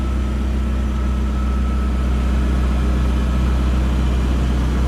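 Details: Chevy S10 pickup with modified exhaust, started for third time after sitting 2 years and new battery: deep steady low rumble with even pulse about three per second, no knocks; smooth idle.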